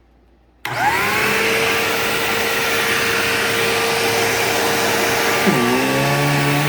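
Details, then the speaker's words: Bissell PowerGlide Platinum 3545-2 upright vacuum, acquired around 2018, running: motor spins up to a steady roar with a high whine whose pitch then sags and wavers into a wah. Owner cannot explain the whine and notes it is most noticeable on wind-down. "Yeah, that weird, like, whiny, wordy sound that it makes is really bizarre. I don't know why it does that. Like, it has the normal Bissell sound, but then it also has that wah noise."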